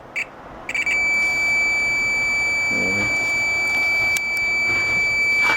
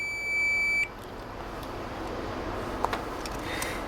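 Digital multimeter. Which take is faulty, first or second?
second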